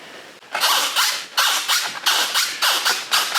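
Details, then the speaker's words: Phoenix 2400 FPV plane, new build, control surface swept back and forth: short dry squeaks about twice a second from very creaky hinges; owner suspects they need lubrication, perhaps sewing machine oil. "gonna have to put something on though, maybe a little bit of oil, maybe a bit of Singer oil or something like that might be good. Very creaky those hinges, I must say."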